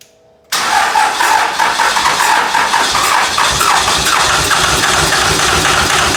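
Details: Freshly rebuilt 2001 Cummins dually on a 56 block with new rings, gaskets and bearings, 53 rotating assembly and 50hp VCO injectors, first start: brief crank, then catches into a steady, even diesel clatter, no misses or knocks; healthy start and idle.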